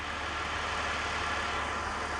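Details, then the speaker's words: BMW E46 with a squeak traced to a bad tensioner pulley, now fitted with a known-good used tensioner; even steady hum with no squeal, chirp or rumble; normal belt drive. "this is just the old tensioner that I've you know take up my tug off my car last year and it's actually good and now she's purring like a kitten"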